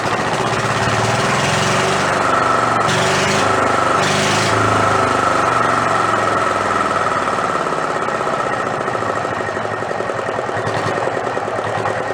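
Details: Renault single-cylinder marine diesel revived after about 20 years in a shed, with fuel now through the pump and throttle all the way down. Loud, even thumping of about four beats a second, raw with no exhaust fitted. Won't shut off without starving the air. Normal running.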